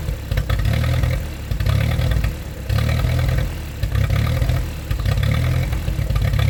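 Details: 1947 Ford 8N tractor, just started on jumper cable, out of gear: lumpy idle surging and sagging about once a second, hunting as if to stall, while carb is adjusted with a screwdriver; rough idle.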